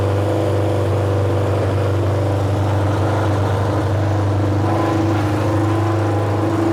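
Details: Junkyard Honda CB750F four-cylinder that sat for decades, running again after revival: deep, steady drone at constant pace, no knocks or misfires; runs evenly with a very loud exhaust. Starter clutch still needs addressing.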